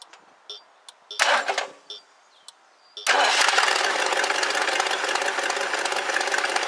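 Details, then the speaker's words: 1969 Lincoln Mark III V8 after new spark plug wires and coil, before timing adjustment: clicks, then fires and settles into steady even idle on all eight cylinders; previously missing badly. "it's running good it's hitting on all eight cylinders not taken it was missing pretty bad before it sounds good"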